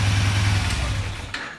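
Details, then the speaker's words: Kawasaki Ninja 250R race bike, after cleaning the carburetor and changing the plugs: the small twin settles into a smooth, steady low idle with no bogging or misses, the earlier off-throttle dying fixed; normal idle. "Now she's running. It's not bogging anymore. That's what it was."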